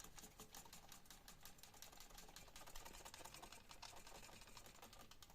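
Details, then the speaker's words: Trek Domane AL3 bike frame, with light, fast ticking and only a faint remaining rattle after about eight sliced Nerf bullets were fitted on the internal cable; much quieter than before. "you know that's a lot quieter"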